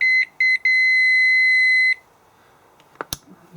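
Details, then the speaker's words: Multimeter continuity test across the stator coils of a VW/Audi 180A alternator being converted to a motor: short chirps, then a steady high beep. The coils read nearly shorted, about 1–2 ohms, with roughly 0.5 ohm across the windings. "we're getting pretty much a short circuit on those on those coils not quite short but almost one or two ohms maybe"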